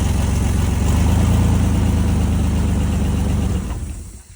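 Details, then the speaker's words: 2003 Dodge Dakota at auction after jump start, moved forward and backward: deep heavy low rumble louder than stock, fading at shutdown; possible exhaust issue suspected. "All right. Sounds like it may have an exhaust issue down there. You come out, take a look at it, make your own determination. Just sounds a little bit on the loud side, but uh started right up with a jump."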